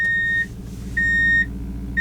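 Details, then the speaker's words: Toyota 4Runner, trying to shift into 4WD low while in drive instead of neutral: repeating dash beep over idle rumble with flashing light, meaning four-low failed to engage and will not engage. "you hear the beeping and the flashing light that means that four low failed to engage and it will not engage from this point on"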